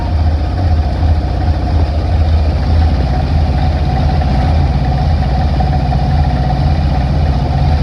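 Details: 1960 Grumman Olson curbside van pulled from a field, first run with water added to the radiator: old petrol engine settles into a steady low rumbling idle with slightly lumpy beat, running on its own without stalling.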